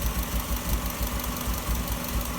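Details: 1997 Subaru Legacy petrol engine at idle: an uneven, low throbbing rumble pulsing about five times a second, heard through the intake pipe. It began after fitting a '95 intake pipe and persisted with the original refitted. Earlier P0505 IACV code, no codes now; owner suspects exhaust leak or ignition miss.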